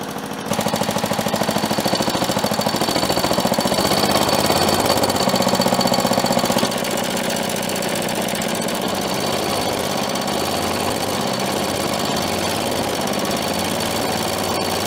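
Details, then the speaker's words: Old motorized dumper single-cylinder engine warming up, before oil change: fast steady chatter, loud and tappy but even, a little smoky; runs well, though compression likely below spec. "woo this thing runs pretty good it is a little Smokey this thing's old I'm sure it's probably not the healthiest motor by the book"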